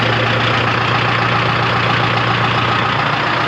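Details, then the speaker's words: 1976 Ford F250 with swapped 453T Detroit two-stroke diesel, sat since 1996, running after revival: steady even idle, firm low drone, no knocks or misses, not very smoky, runs really nice despite low oil pressure reading. "well at least it runs oh smells good and it runs like really nice actually it's I'm shocked it's not like super Smoky like runs"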